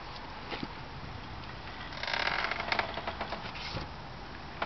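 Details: 2004 Subaru Impreza WRX STI pushed at about 1 mph, engine off: scattered sharp clicks and dry scratching from both front wheels; brakes new, hub bearing unlikely, noise vanishes after rain, present 5-6 months, cause unknown.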